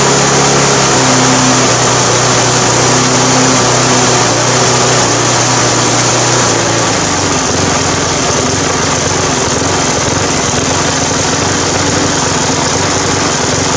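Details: Briggs 350 Classic lawn mower revving up and down every second or two; governor springs were missing and replaced, fuel leak found, then cracked gas tank; swapping in another tank and carburetor cured it.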